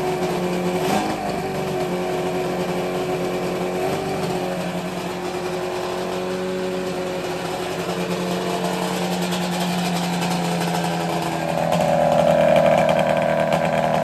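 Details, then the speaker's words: Snowmobile drag sled being prepped, first start after installing a JDI ignition, with fuel poured into the carb: steady two-stroke buzz, even, rising briefly near the end, firing cleanly. It shuts off fine; normal running. "guys I just shut it off it's it works you seem to work"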